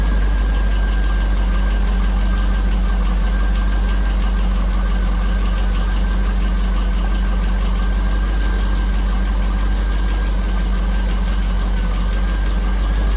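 Constant low idle with an uneven tapping running through it, about three per second; a tick or knock whose source is unknown.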